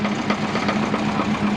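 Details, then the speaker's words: 2001 Subaru Forester GT (SF5), twin-turbo, warming up for road tuning: a light, irregular rattle ticks over a steady idle. The owner suspects a loose plastic support. This is unconfirmed; heavy power steering and an exhaust leak were noticed right after. "It's the plastic. I think it's the support."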